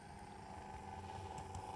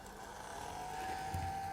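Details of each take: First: New Atlas C420 model diesel locomotive, not yet run in: even continuous whirr with a low drone and a steady mid-pitched tone, smooth but noticeably loud for a small motor. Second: New Atlas C420 model diesel locomotive, not yet run in, at full power: steady smooth mid-pitched whine with strong drive, healthier-sounding than at lower speeds; normal motor running.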